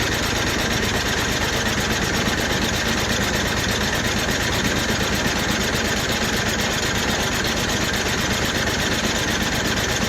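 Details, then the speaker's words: Rebuilt snowblower, choked: a long run of even compression pulses while cranking, with no firing. The ignition switch was left off, so there is no start. "Sounds like it's got compression. So let's grab a little go-go juice."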